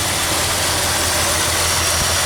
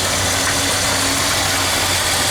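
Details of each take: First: 1976 Ford F-250 just started after Holley 6947 carburetor rebuild and fuel pump replacement, warming up: loud, hissy idle with an uneven low pulse underneath, not settling smoothly; owner suspects a vacuum leak somewhere, not yet found. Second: 1976 Ford F-250 390 V8 after Holley 6947 carburetor rebuild and fuel pump replacement, idle mixture screws being set by vacuum gauge: steady, even idle with a low regular thrum, no stumbles, misses or hiss; idling normally.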